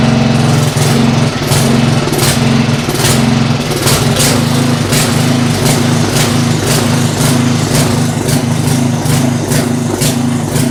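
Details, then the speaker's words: Poulan 900 rototiller running with paper towels in place of an air filter: loud, low drone with uneven surging pulses, never settling. Rough running blamed on wrong air-fuel mixture, not confirmed. "I'm gonna blame the rest of it on the lack of an air filter we just have the wrong air fuel mixture going on right now"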